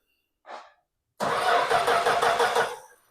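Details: Plymouth Duster, Mopar Slant 6 225, turned over via trigger at the power block: about 1.5 s of even starter churning, roughly three beats a second, never catches; crank no start (no spark).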